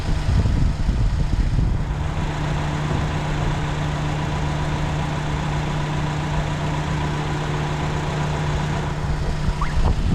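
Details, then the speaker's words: Van at idle with check engine light, misfire code P0302: uneven lumpy idle, low droning note stumbling irregularly, no power, surging while driving; cylinder 2 misfire from failed ignition coil and plugs. "all of a sudden the car is just surging or misfiring as you can see I started it and it's got a rifle idle on it no power"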